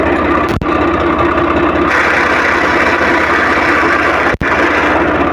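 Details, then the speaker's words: Swaraj 855 FE tractor, diesel idling in neutral: rough gritty mid-pitched rasp from the gearbox while the clutch is released, the gear lever shaking, and it goes quiet when the clutch is pressed; gear rubbing in neutral. Noise also present in every gear except fourth while driving. "तो आपने देखा की किस तरह से इसके clutch को छोड़ते हैं न्यूट्रल पोजीशन में भी तो साउंड ए रहा है और जैसे ही कलर्स को दबाते हैं तो सॉल्व रूथ जाता है"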